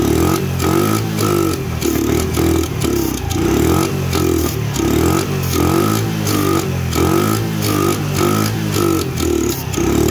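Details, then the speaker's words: Dirt bike/moped, just after valve adjustment, firing only on sprayed starting fluid: uneven surging revs with rattly clatter; not getting fuel, owner suspects a clogged carburetor jet, carburetor to be torn into. "Not getting fuel. So we need to tear into the carburetor. It's probably got a clogged jet. It doesn't sound bad."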